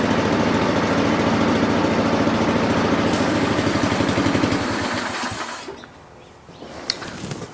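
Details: Honda lawn mower after governor adjustment, target 3,600 rpm, previously running high and not revving down off choke: steady, even beat at governed speed with no surging or over-revving, then clean shutdown; governed speed normal.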